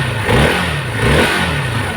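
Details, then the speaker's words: Hero Xpulse after refitting the gear with its timing marks aligned and locked. It starts and settles into a steady, even idle with a couple of light blips, no knocking or rattle. Runs fully smooth; the crankshaft-like knock is fixed. "Full smooth sound ಆಗೈತೆ ಎಲ್ಲ ready ಆಗಿದ್ದೀನಿ"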